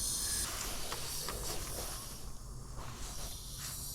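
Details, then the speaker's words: Truck air system at pressure, leak heard up by the engine: steady sharp hiss from a push-to-connect air line fitting; pulling on the line stops it, so it likely needs to be taken out and reconnected once pressure is released. "a lot of times you can just play with the connections and they'll stop leaking this one I might need to just take it out reconnect"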